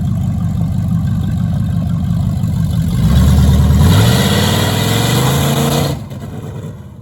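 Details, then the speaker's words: 1973 Plymouth Barracuda, hopped-up 360 V8, 727 automatic, after swapping the old Holley for a newer Edelbrock carb: steady idle, clean revs up and down, then shut off; crisp throttle response, runs better than before. "Well, it definitely runs better than the way it used to. That's for sure. You know, with a little bit newer carburetor on there, of course, it'll run better."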